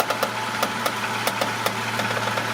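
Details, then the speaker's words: Toyota Sienna (2010 or 2011) at idle while the steering wheel is turned: steady hum with irregular sharp creaks and screeching pops from one front side, felt by hand there; worn strut top mount bearing, strut assembly to be replaced. "also you can even use this bar to hear the screeching sound go ahead Russell yep yep that's it"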